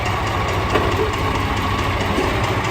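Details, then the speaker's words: DAF CF85 truck diesel, also overheating (thermostat suspected), idles with a faint repeated knock through the rumble; sounds top end, louder high-pitched noise found at top near side by screwdriver; also has a blow; cause not confirmed. "But we have a terrible engine knocking noise. Sounds top end."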